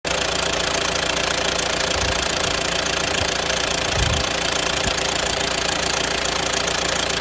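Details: Renault Grand Scenic 1.6 dCi 130 diesel at idle: a fast metallic rattle over the normal clatter with a few heavier thumps, possibly from a noisy timing chain. Engine rattle at idle.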